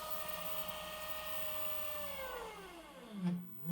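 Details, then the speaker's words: 1000 W 36 V DC electric motor run by its controller via a potentiometer substituted for a suspected faulty throttle pedal; smooth, even whir slides steadily down in pitch as resistance is changed and speed reduced: normal speed control. "And if I take this potmeter and change the resistance, the speed changes as well."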